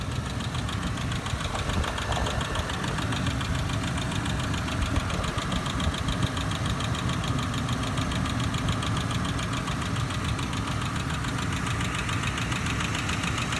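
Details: 2007 Ford Explorer Sport Trac idling: a constant rapid knocking clatter over a rough low rumble; an abnormal internal knock of unknown origin.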